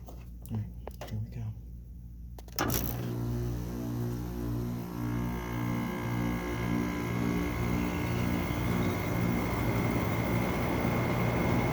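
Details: General Electric (made by Haier) 5100 BTU window air conditioner, believed to be from 2010, at start-up: a few clicks, then a steady low compressor hum with a loose, buzzy rattle riding over it.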